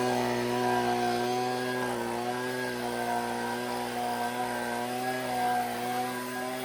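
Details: Husqvarna 125B two-stroke leaf blower after repair and high-speed carburettor adjustment, no air filter yet, blowing leaves. High, steady two-stroke buzz holds its pitch with only slight wavering; runs clean and strong.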